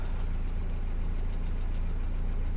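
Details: Mercedes Vito W638, M111 2.3L petrol, automatic; steady idle with faint regular light tapping riding over it; engine knock at idle, source not pinned down; read with OBD adapter, MAF sensor fault noted.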